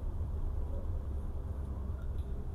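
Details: Toyota Avanza Veloz, 30,000 km, which after flood exposure made a rough noise pulling away and decelerating, traced to burnt plastic in the clutch plate springs: road test in third and fourth gear, steady low road rumble, no whine or grinding.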